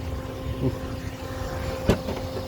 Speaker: Sounds like she's running like a top oil on this 2014 Honda Pilot. Relatively simple. Not too hard. That's that. She's running smooth. Running like a baby's bottom.